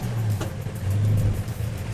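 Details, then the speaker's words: Restored, once very rusty Road Runner, heard starting and running after restoration: a deep, steady V8 rumble holds even through the rev with no knocks or misses; it runs and drives like new. "Car runs and drives like it should, like a new car. Maybe a little bit better, a little bit peppier. Sounds good, feels good, gets looks."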